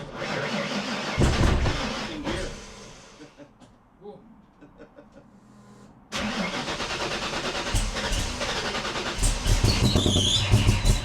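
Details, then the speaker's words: Modified Foxbody Mustang V8 with custom stainless exhaust and headers, first start after oxygen sensor fitted, holes sealed and clamps tightened: crank, catch, rumbling lopey idle with blips, no ticks or exhaust leak puffing; normal start and idle. "So now we're going to start it up for the first time. All the holes sealed up, all the clamps tight."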